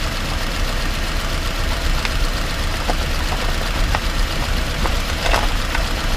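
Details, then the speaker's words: 2018 Subaru Outback 2.5i Premium, about 11,800 miles, recorded in the cabin on a potholed asphalt country road with keys jangling: dull clunks from around the driver's side front wheel over bumps, which the dealer could not replicate; front suspension clunk. "my keys make a jangling sound just kind of masks the the clunk a little bit but you can still hear it as we drive down this potholed marked country road"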